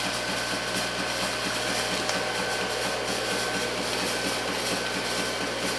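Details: Antari Z-350 haze machine running: steady hum with a faint, irregular click about once a second; owner unsure whether it is normal, cause unknown.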